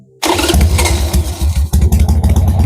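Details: Motorcycle after a battery replacement, started while its charging system is being checked. A quick crank catches at once and settles into a steady, even idle with a brief blip: a healthy start.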